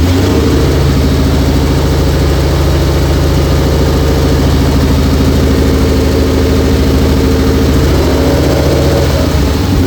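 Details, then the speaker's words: 2004 Mercury Marauder with a swapped fully forged 03-04 SVT Cobra supercharged engine, first start after 7 years, new headers: a loud, deep, steady idle with a slight rev, no knocks or ticks; a little smoke from burn-off. "Little smoky, but brand new motor, brand new headers. Nothing I'm too terribly concerned about. Certainly sounds good."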